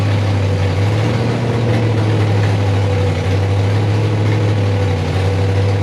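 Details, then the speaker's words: Freshly rebuilt 5.3 V8 in a 260Z at first start, 80 psi oil pressure: deep idle with a heavy, uneven lope and occasional popping, struggling to hold idle; owner suspects the lope, cause unconfirmed, will check the computer with HP Tuners. "Got a hell of a lope, which is maybe one of the reasons it won't idle."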